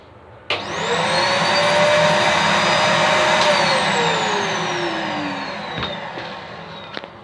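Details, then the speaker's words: Small part-exchange vacuum cleaner: strained high whine that spins up, holds, then sinks as it winds down; sounds choked with virtually no suction. Blockage suspected, not confirmed. "But it just sounds a bit blocked. And of course it will be blocked. There is virtually no suction on there."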